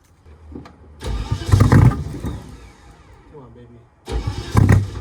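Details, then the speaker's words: BMW E30 with swapped M60 4.0 V8, external fuel tank, heard from behind the car; starter cranks steadily twice but engine never fires. Crank no-start; owner suspects knock sensors or a bad ECU, unconfirmed. "baby I still have no idea I'm starting to think it's the knock sensors or the ecu's bad"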